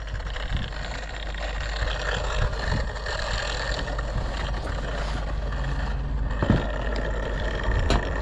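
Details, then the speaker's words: Once-seized Echo chainsaw from a used-saw lot, found locked up with no spark plug, now starts after fuel and a few pulls: a steady buzzing two-stroke note, turning freely without stalling or binding; compression test planned next; normal running. "i'm really surprised you know because this thing was locked up this thing was tight as [ __ ] and then no spark plug in it but it looks like the day's been saved"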